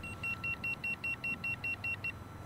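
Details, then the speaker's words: Boosted Board V2 electric skateboard at just over 1,000 miles: a rapid run of about eleven short high beeps warning of a loose connection. The owner has had loose connections under the battery before, after removing it several times. "So what that is telling me is I got a loose connection somewhere. And what I've noticed with mine is I get a loose connection under here, under the battery, because I've taken it off a couple of times. So if you guys hear that beeping, you either got a loose wire"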